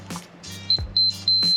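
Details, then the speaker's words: Multimeter continuity beeps across the Mercedes SL rear window heater relay's contacts on the bench; three short, clean, steady high-pitched beeps show continuity through the contacts. "it should go beep which it does so it tells me that the relay the contacts look good otherwise I wouldn't be getting a decent decent continuity there"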